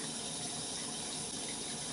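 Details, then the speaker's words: GE GXSF40H water softener in diagnostic mode, backwash position: a strong, steady rush of water through the drain line with the valve motor running. Normal backwash flow. "you should see here now the water flow at your drain pipes should increase quite a bit and I can tell mine has just from the sound sounds good I can hear the water running excellent"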